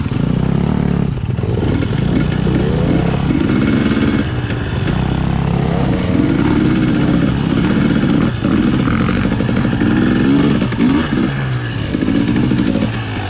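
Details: 2020 KTM 250 XCW TPI two-stroke before the fix. Engine pulls but sounds gargly and uneven at low revs, popping and sputtering below 1/4 throttle. Fixed by swapping the cylinder pressure sensor with the ambient sensor.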